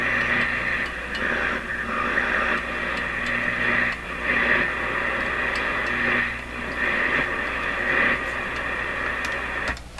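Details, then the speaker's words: General Electric C600 tube radio plays steadily but sounds harsh and fuzzy over a faint hum; distorted audio output, suspected weak tube or incorrect voltage on the output tube, not confirmed. "I don't know what to say the distorted sound can easily be one of these tubes they'll somehow doing that the incorrect voltage on the outlet tube could be it"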